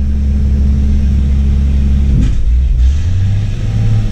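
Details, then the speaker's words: Jeep Cherokee being revived, held at full throttle under load with brakes apparently dragging: flat lumpy drone, pitch sagging midway instead of climbing cleanly; rough running, ignition timing suspected off, unconfirmed. "like like the it sounds like the timing's off anytime i try to put it under a load"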